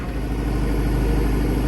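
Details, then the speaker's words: Matbro diesel with new turbo fitted and piston issue sorted, refilled with 10.5 litres of oil, runs with a deep, steady, even note and no knock or whistle; sounds sweet, much better than before. "sounds like quite sweet a lot better yeah definitely"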